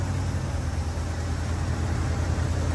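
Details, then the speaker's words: Rare RV petrol engine after new batteries and a new starter, having earlier acted as if locked up, finally starts and runs: a steady, even low rumble with no misses, knocks or stumbles; sounds healthy. "That feels good. That sounds crispy. I never thought I'd be so happy to hear a piece of start. I mean, that like what a And it sounds great."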